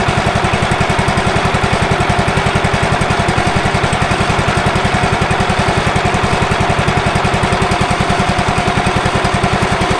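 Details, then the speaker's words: Late-1990s Wood-Mizer LT15 sawmill engine, sat for years, just started on choke after maintenance, oil still low: even strong thumping about 3.5 beats per second, no misses or knocks: healthy running. "she's alive all right let's run just a second sounds good"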